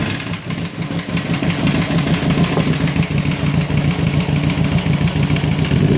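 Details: 2006 Kawasaki ZX10 at idle and revving, 45k miles, no compression in cylinder 1, smashed spark plug, no smoke or metal shavings in oil: heavy uneven knocking under idle, louder with revs; owner suspects rod knock or blown motor, unconfirmed.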